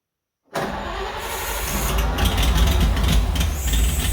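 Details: 1940s Oliver 70 tractor's first start in about 12 years, with the choke worked by hand. It chugs unevenly with an irregular stumble; the owner suspects very old plug wires, points or condenser: engine misfire.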